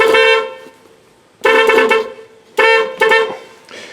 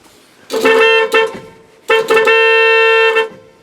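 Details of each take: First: 1986 Dodge Ram D150 318, horns remounted, horn relay replaced with a boneyard part after fuse kept blowing: blasts cut in and out in uneven one-second bursts; intermittent horn, owner suspects the horn switch. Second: 1986 Dodge Ram D150 318, horns remounted and horn relay replaced after fuse kept blowing: two solid steady bright blasts about a second each, no sputter; working horn, good enough for inspection.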